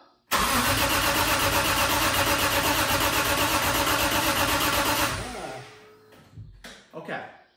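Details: BMW E30 M3 with S54 swap, first start attempt after wiring troubleshooting: starter cranks steadily near three turns a second for about five seconds, never fires; injectors not firing, blown fuse.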